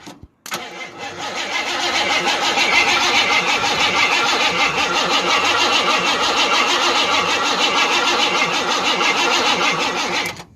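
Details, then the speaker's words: 1988 Ford F150 XLT 5.0 302 V8 before repair: slow, labored cranking at about three pulses a second, jumped with a screwdriver, dies out as if battery weak and never catches; badly worn starter, later replaced. "I will try to throw a video in real quick right here of what it sounded like beforehand, and jumping it with a screwdriver. After a few revolutions, it would just die out like the battery was weak."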